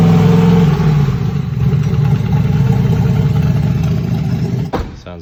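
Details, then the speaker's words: Texas Speed engine in Ruby, run with aggressive timing that burned the spark plugs: cold start the next day gives rough, uneven low thumping at about four beats a second, though it sounded fine hot. "when an engine is nice and hot and everything he can still sound ok so when we put it in the trailer you know it's good sounds sounds hot cold start next day no good you can hear it in this video"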